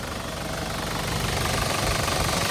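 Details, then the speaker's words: 2005 Isuzu D-Max 2.5 Ddi turbo diesel, original engine, 112,296 km, starts first try: steady even idle clatter with regular firing, no misses or knocks, no blow-by or oil spray at dipstick; soft, healthy engine. "เครื่องไม่มีไอเลยครับไม่มีน้ำมันกระเซ็นเลยนะครับเสียงเครื่องยังถือว่านิ่มๆเลยครับ"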